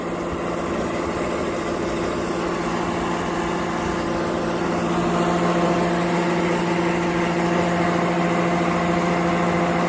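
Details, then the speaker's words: York gas pack rooftop unit indoor blower fan after the set screws were checked: a steady drone with a rough, gritty undertone; it sounds like a bad bearing and likely both bearings need replacing. "doesn't sound too good [Music] sounds like a bad bearing that's what it sounds like to me so it looks like we're not done with this one"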